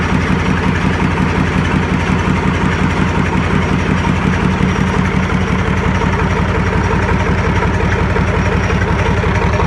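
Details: YaMZ-236 diesel, first start after full overhaul on a makeshift test stand with pressure measurement: even, steady idle with regular low beat, no knocks or misses; healthy.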